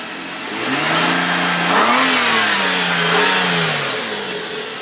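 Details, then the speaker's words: 2004 Nissan Quest parts vehicle with a light front-end hit, no damage near the engine. Engine climbs smoothly through a couple of revs and settles back evenly, no knocks, ticks or misses; normal revving. "Nice and smooth. Engine sounds great."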